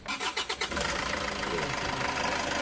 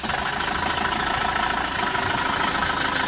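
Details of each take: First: Isuzu Traviz with an engine noise complaint, started after tightening the loose AC belt and the nut behind the power steering pump: cranks briefly, catches quickly and settles to an even idle; the earlier scraping noise is gone. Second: Isuzu Traviz engine at idle with a steady dry scraping rasp; noise traced to a loose, worn aircon belt and a loose alternator fan belt; clutch fan fine, no overheating.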